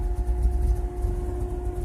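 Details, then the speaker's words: Chevrolet Cavalier with three-speed automatic, barely idling: low, lumpy idle with an uneven throb that dips and surges; rough idle, cylinder 4 cutting in and out, cause unknown to owner. "so you can't do it on this one but as you can see this thing is barely idling"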